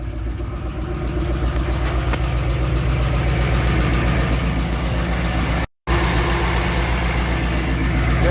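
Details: 2002 Chevy Avalanche, first start of freshly swapped engine with break-in oil: light, fast tick rides over the low idle rumble, possibly a valve or dry, unoiled pushrod; owner plans to pull a valve cover.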